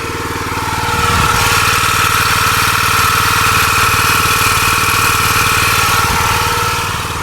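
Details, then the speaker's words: New log splitter, heard from the hydraulic pump side with engine idling; steady high constant-pitch whine over a busy single-cylinder idle; noisy hydraulic pump, cause unclear. "Okay, we're going to walk over on the other side so you can hear the pump itself making that noise."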